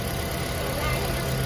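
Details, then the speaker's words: 2010 Toyota Prius hybrid after replacing three failed ignition coils (cylinders 2, 3, 4; codes P0352–P0354): smooth steady low idle hum with no missed beats, running evenly on all cylinders; earlier shaking gone, A/C advised off for steadier idle. "อีก5วันนี้นะเครื่องยนต์ได้เดินนิ่งปกติแล้วนะต่างจากตอนแรกที่มานะครับ"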